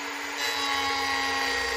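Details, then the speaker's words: Router cutting along a template, with the router wanting to take off, fed nice and slow: high steady whine rising into a rougher cutting tone as the bit bites; normal cutting. "so it's called running with the brain the router will want to take off so I want to make sure I hold this fine cut now I can come back I'm going to pull it in let it fall again Ferry nice and slow"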